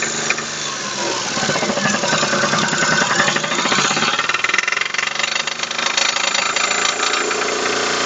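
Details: Daewoo Matiz 0.8 three-cylinder with loud, busy metallic clatter across the upper range; front crankshaft seal blew out in frost, oil leaked out, main bearings spun — crankshaft main bearing knock.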